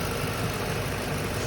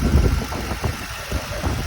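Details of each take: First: Stock, unmodified 2007 Ford Mustang GT V8, recently bought: brief steady, even low rumble with no misses or knocks. Normal warm idle. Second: 2007 Ford Mustang GT V8 at a cold-start idle with a light, quick ticking over the rumble that stops after about five minutes of warm-up. The source is uncertain: the owner's online search suggested the intake, and the valvetrain is possible.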